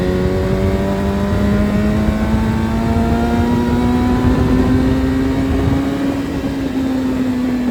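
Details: Suzuki Hayabusa with a built motor and aggressive cams, on a road test after cleaning its clogged fuel filter; before, it only reached about 7–8,000 rpm. Pitch climbs smoothly toward redline, about 11,000, with no stumble or cut-out, revving out freely under load. Normal full-rev acceleration.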